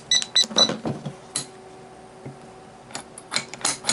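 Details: Sargent & Greenleaf 6120 electronic safe lock, which had trouble opening with faint solenoid clicks, during troubleshooting after its Allen screw was refitted. A few high keypad beeps, then crisp single solenoid clicks and a clean latch release: a normal unlock.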